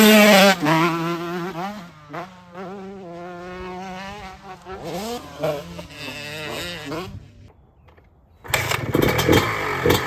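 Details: 2006 Honda CR125R two-stroke after full ground-up rebuild with OEM parts, new top end: catches quickly, crackles through sharp rev blips, settles to steady idle; clean normal running.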